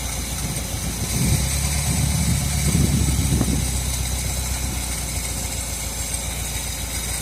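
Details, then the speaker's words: 1978 Chevrolet Custom Deluxe truck, first run after sitting about 21 years, no coolant so run briefly: low, even idle with a brief rise midway, no knocking or missing; accelerator pump seal bad, leaking fuel. Normal smooth idle. "There it is. Oh, she sounds good. Quiet. Can't run it long. I don't have any coolant in it. Oh, she's good. There you have it, man. It sat there and run good."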